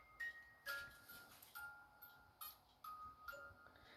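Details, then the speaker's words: Department 56 animated Ice & Snow Skating Pond after motor replacement with a DC 3V 1730 RPM mini motor: soft chiming music, even tempo, no drag or warble; sounds better than ever, normal playback. "that I've heard it sound this good before so this one's going to keep music on it all"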